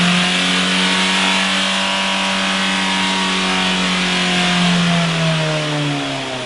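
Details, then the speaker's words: Mitsubishi Carisma diesel overfilled by a few liters of oil, exhaust fitted: engine screams at steady high revs with no throttle, pitch holding then sagging slightly; diesel runaway. "Dieses Auto ist ein wenig Lauter geworden. Ist scheinbar aber original, weil Auspuff ist ja noch dran ne ;P Nein, heute geht es um einen Diesel Runaway"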